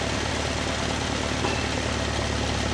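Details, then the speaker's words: Alfa Romeo Spider after head re-tensioning following overheating, carb mixture screws just set evenly: smooth, steady low idle, even note, no hunting or misfire; normal idle, idle speed to be lowered for warm-running. "as you can hear the engine's quite quite nice now that we've set that"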